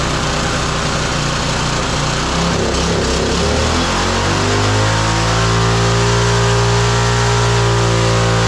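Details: Roadside-found lawn mower engine for the Tommy Gun mini bike (carburetor gummy, may need replacing): brief stumble, then steady, even fast run with clean firing note; running normally.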